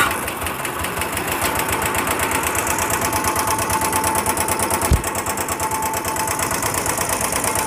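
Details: Royal Enfield Bullet single idling with top cover open to check oil flow: fast, even metallic ticking clattering through the run; failed hydraulic tappet in the top end.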